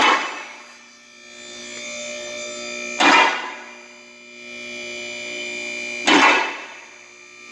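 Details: Newly replaced lift motor running: smooth, steady electric hum with even pitch and a clunk about every three seconds; much quieter than before, normal.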